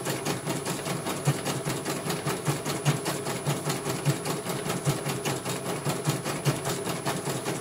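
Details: CNY computer embroidery machine from Banjarnegara, Central Java, test-stitching after service (dynamo motor earlier wouldn't spin at all): even, regular stitching clatter at a steady pace, no grinding or whine; one colour finished, result very good, normal stitching.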